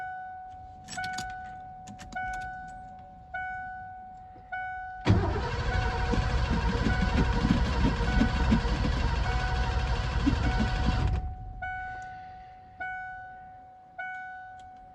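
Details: 1988 Ford F-250 EFI sat over a decade, fresh fuel added: door chime, then six seconds of steady cranking that never catches; fuel pump heard running, owner suspects bad fuel clogging injectors.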